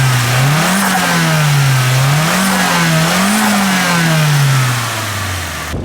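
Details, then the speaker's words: Nissan S15 Silvia SR20, abandoned car brought back after jump pack start, revved in a few clean blips with smooth even note, no knocks or misses; normal healthy engine revving. "sounds like a perfectly healthy SR20"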